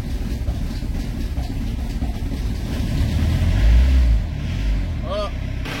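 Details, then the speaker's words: Peugeot Expert first phase, 1.9 turbo diesel XUD indirect injection, high mileage: loud hard clacking about three to four per second over a rough idle, appeared suddenly on the road; cylinder head or valve problem suspected, unconfirmed. "avec un bruit particulièrement effrayant, on peut le dire. Il est très bruyant, il claque très fort."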